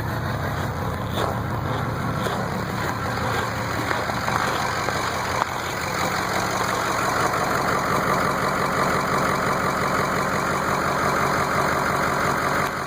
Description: This is what my 6.0 sounds like when 1 injector isn't working and 6 more are bad.